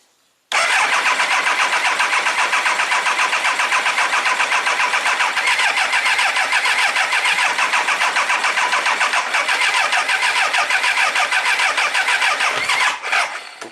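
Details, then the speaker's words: 1999 Triumph Trophy 1200, non-runner for a year, sump possibly holding fuel, air cleaner likely gas-soaked, battery low: steady fast cranking about three and a half beats a second for thirteen seconds, almost tried to fire but never caught. "so it actually almost tried to fire. Let's let it charge up a little more and see if it'll fire up just without the gas tank, without the so the air cleaner's still here."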